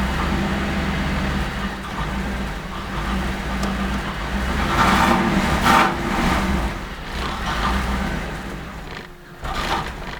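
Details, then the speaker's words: Cold 1988 Camaro IROC 350 TPI with a flashing check engine light: uneven, surging run that stumbles and falls on its face when revved, then dies. The misfire was fixed by replacing the distributor ignition control module. Misfire and stall from failing ignition control module. "I'll rev it up and you can listen to it stumble so it doesn't want to rev up you can rev it slowly but just kind of falls on its face when you give it a little bit of gas"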